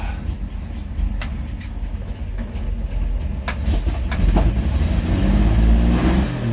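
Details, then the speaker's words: Rebuilt 1953 Chevy 3800 truck, new coil and points, cleaned plugs, choke partly reduced: low, lumpy engine note with irregular beat; uneven running, owner suspects ignition timing is off. "i think my timing might be off i might try to adjust that again"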